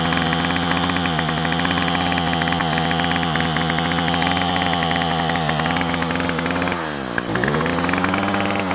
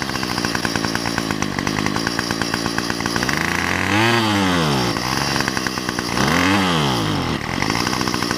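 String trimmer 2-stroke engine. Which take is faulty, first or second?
second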